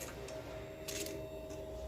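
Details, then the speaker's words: 2007-2016 Suzuki Burgman 400 scooter, fuel pump assembly just reinstalled: pump primed three times with key on. Faint, steady electric hum at constant mid pitch. Normal fuel pump priming. "I hear a priming noise. That's a good sound. We're going to prime it again. And one more time."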